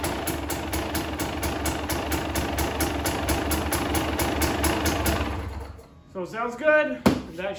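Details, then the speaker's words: 2020 KTM 300 XC-W two-stroke, first run after switching to the softer map setting 2 to tame a hard throttle hit: fast, even crackling idle, then sharp clean rips; runs normally. "We'll go ahead and give her a rip here, see what she does."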